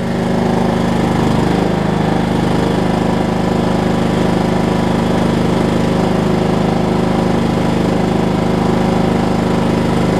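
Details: Over-20-year-old Craftsman riding mower, Kohler Command engine, previously locked by a wrongly fitted deck belt. The single cylinder fires at an even, steady beat with no stumbles or binding; normal running.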